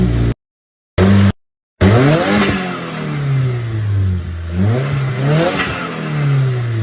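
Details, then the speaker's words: 2015–2019 Subaru WRX with a new front-mount intercooler fitted and no blow-off valve: revs rise and fall with a choppy stutter each time the throttle closes, which is turbo compressor surge flutter. "Since I do not have a blow-off valve, you get the turbo stutter, which is insane. Wasn't expecting it."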